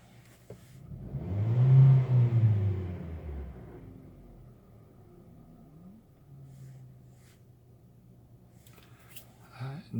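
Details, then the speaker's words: Hyundai Solaris 1.4 on Lukoil Genesis 5W-30, switched from 5W-40 over a knock, fully warm at about 700 rpm idle: short rev falling back to a steady smooth idle with no tapping or knocking; healthy warm engine. "никакого стука доведите машина горячие прогрелась и по шкале и по обороте com видно где-то 700 на 700 оборотов"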